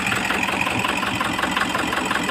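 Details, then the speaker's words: Toyota HiAce 2KD diesel idling with an uneven, lumpy clatter, misfiring and knocking. In a balance test, cutting fuel to cylinder 4 changes neither idle nor sound, so the No. 4 injector is judged defective and needing replacement. "So masabi natin defective injector natin kailangan natin na magpalit especially dito Sa number four"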